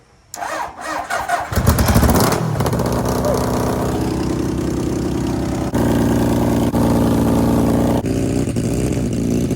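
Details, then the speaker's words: 750cc bike-engined half-scale NASCAR kart, cold start after sitting for months, choke down: fires after brief crank and settles into steady even beat, no misses or knocks, running well. "So this thing is running real good."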